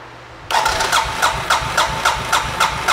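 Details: 2007 Suzuki King Quad 750 ATV that died and wouldn't restart, airbox removed, injector confirmed pulsing: starter churns steadily at three to four compressions a second with no firing; crank-no-start traced to weak spark.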